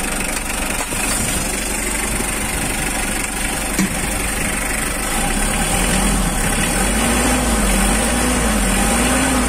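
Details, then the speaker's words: 2009 Mitsubishi L300 pickup with power steering and a 2,500 cc diesel, idling during a sale walkaround. Even, steady idle clatter with a regular beat and no knocks or misses. Normal idle. "Untuk suara mesin, suara saya mungkin akan terdengar berisik bercampur dengan suara mesin, saya akan diam sejenak agar Anda bisa mendengarkan."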